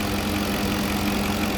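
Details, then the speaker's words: Porsche Cayenne 4.5 V8 biturbo restarted after reassembly, with a kinked vacuum hose found and a failed electric brake vacuum pump replaced: even, smooth low burble with no misses, ticks or knocks, running like clockwork; normal idle. "là, il tourne comme une horloge, ce V8."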